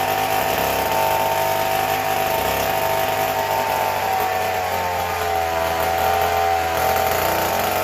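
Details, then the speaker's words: McCulloch Model 73 two-stroke chainsaw with little use, run on the bottle: screams at a steady, far-too-high idle with no drop. Air leak found; owner suspects a failed intake gasket and plans new gaskets and a crank seal. "she runs real fast and my hand was off she saw it up here and she was moving so we have an air leak somewhere"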